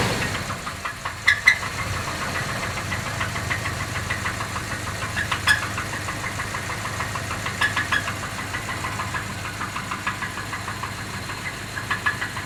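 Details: Jeep Grand Cherokee engine at idle: a sharp, regular tapping knock keeps time with the idle over a steady hum. The cause of the knock is not identified.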